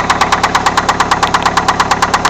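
Sharp, even knocking at about seven per second over a steady idle; a clear bottom-end style knock, cause unconfirmed.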